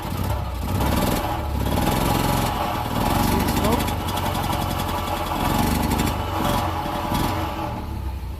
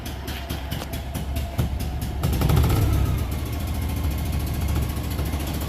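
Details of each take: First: Single-cylinder engine with Pertronix electronic ignition, camera at the exhaust, throttle opened: blips unevenly and flattens out instead of reaching full revs; ignition advancer not working, smokes a little, owner suspects rings not yet seated. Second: Isetta single-cylinder engine: putter climbs smoothly as revved and settles back without misses or knocks; slight black smoke from rich mixture but no blue smoke, running well.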